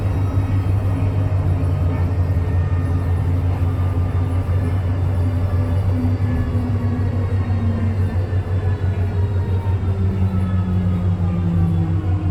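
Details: STM 37-021 bus on route 171: a heavy, steady engine rumble with droning tones that slowly wander in pitch, a strange noise whose cause cannot be identified.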